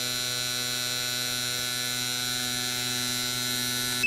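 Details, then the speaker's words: Gasoline fuel injectors on a bench injector tester and cleaner, cycling at half pulse width: fast, even electric buzz with no stumbles or dropouts, then cutoff; injectors firing evenly and sound healthy. "And then we'll fire it up again on half the pulse width. And you can hear the thing cycling the injectors."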